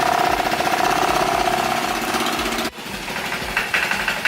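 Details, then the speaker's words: 1986 Honda Helix scooter first start after reassembly, drive belt missing: engine runs rough with harsh, fast rattling clatter about four times a second and some smoke that doesn't smell bad; abnormal engine noise, source unknown. "she run it she barely running shy I'm gonna let it run it she running a little bit rough there's some smoke but it doesn't smell like bad smoke but she run it"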